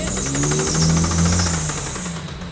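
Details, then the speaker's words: 2002 Lexus IS300 project car rolling in slowly: rapid, even tapping over a low engine drone, an internal engine knock. "obviously you could hear the engine is knocking"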